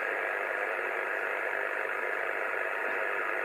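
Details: 2 m (144 MHz) receiver in the Sydney suburbs: a constant harsh rasping hiss at S9 swamps the band, and the noise blanker barely helps. The owner suspects powerline noise that returned after recent work on nearby lines. Receiver interference.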